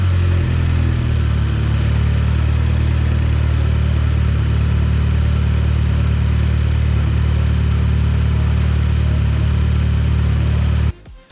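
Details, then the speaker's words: Audi S3 8P, EA113 2.0T FSI, after cam follower replacement and fuel pump priming: a firm, steady idle with an even low drone for ten seconds, no ticking or misses, then shut off. The engine runs normally. "So then I let her run for about four or five minutes. So we can give her a little blip. Right. So that's a bonus. She uh she runs after the fuel pump is primed and then that's it."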